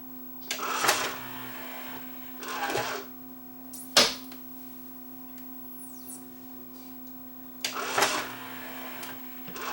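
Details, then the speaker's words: Yamaha CDC 705 5-disc CD changer playing after replacing the drawer belt; faint steady hum under short whirring bursts as disc skip indexes the tray smoothly to the next disc; carousel rotation is normal. "There it is, it's playing. If I hit disc skip, it'll move to the next disc, as it's supposed to."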